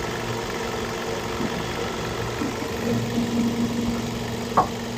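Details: 2011 Ford Focus, warm after a thermostat replacement that fixed the engine not reaching temperature and the poor idle once warm; steady, even idle hum with a low drone, no knocks or misses, gauge about halfway between cold and hot; normal warm idle.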